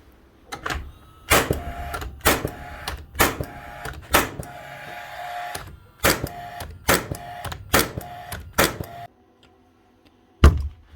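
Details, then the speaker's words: Rawlplug B1664 gas-powered second-fix nail gun after dismantling, cleaning and service: sharp, crisp shots in quick succession, clean snappy cracks with quick recovery; firing faster and freer than before service. "you can hear the difference here taking the p P back straight away shooting a lot faster the Pen's a lot Freer"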